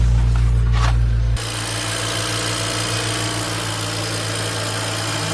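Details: BMW E92 335i with N54 engine, after coolant change and TIG repair of cracked power steering pump bracket: brief noise at start, then a smooth, steady idle with an even low hum, no ticks or stumbles; healthy.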